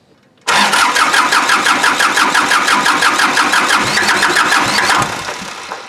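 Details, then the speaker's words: Kubota L2350 diesel tractor, died from water in the fuel tank and lines, cranking steadily about three compressions a second without catching during fuel system bleeding; air in the fuel lines. "all right here we go we want to start so which means there's very little very little uh water in it but a lot of air"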